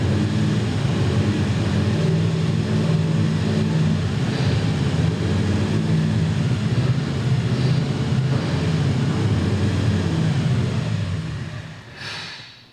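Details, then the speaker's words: 383 small-block Chevy V8; uneven, loping idle that sags and dies after about twelve seconds while accelerator pumps are pumped by hand to keep it alive; stalls at idle, suspected idle-circuit fuel feed problem in the metering block. "So I was literally just sitting there going boom, boom, boom, and just pumping the accelerator pumps, giving it fuel to make it idle, which would be really hard to do as you're driving it down the road."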